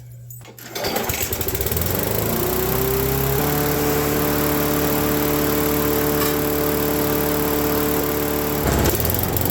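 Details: Craftsman mower with Briggs & Stratton engine, abandoned and corroded, cover off: engine catches, then its pitch climbs and holds a high steady drone; speed set too fast by the misadjusted governor.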